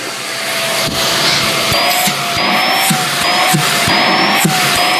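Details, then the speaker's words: Greenote corded AC stick vacuum (18 kPa suction, HEPA, bagless) held up: steady high whine with thin upper tone creeping upward over seconds; weird harmonics noise occurs off the floor and goes away on the floor, cause unclear. "But up in the air, it does have a weird kind of harmonics thing going on."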